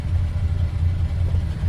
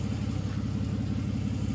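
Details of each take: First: VJ Dodge ute after the old 3-speed gearbox and tailshaft were refitted, warmed up: a smooth, quiet, even low rumble with no knocks, much quieter than at startup. Normal warm idle. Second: Long-stored VJ Dodge ute engine, stuck earlier, battery weak, fuel poured in carby: cranking with harsh, rough grating chug about three beats a second, one of the worst turnovers heard.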